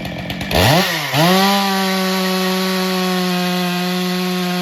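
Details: Stihl MS462 chainsaw after calibration reset: snaps up to full revs, dips once, then holds a clean steady high howl through the cut; running smooth and healthy under load.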